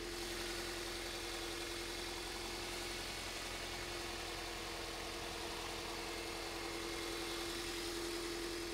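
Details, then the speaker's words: 2001 Toyota Avensis, owner reported bubbling noise, idling: steady hum with an uneven, slightly lumpy beat; scope shows cylinder four coil giving absolutely nothing, one cylinder dead from failed ignition coil; misfire at idle. "but number four we're getting absolutely nothing"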